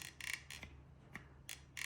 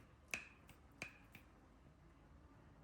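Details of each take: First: Mahindra Thar door check strap worked by hand with the door removed gives sharp, dry creaks each stroke, like an old door; dry check needs grease there, since lubricating the hinge won't reach it. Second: Mahindra Thar rear door after greasing hinge spring and lock that creaked like an old door: swings with only light detent clicks, no creak or groan; quiet door check.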